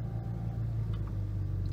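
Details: BMW Z4 35i with N54 engine idling low, uneven and rough, shaking the car, reduced power light on; fixed by cleaning the VANOS actuators and an oil change.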